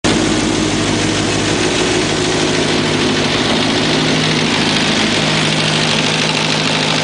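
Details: ZX11 engine idling with a blip of revs, with an odd mechanical whirr and rattle over the engine; the weird noise's cause is unknown.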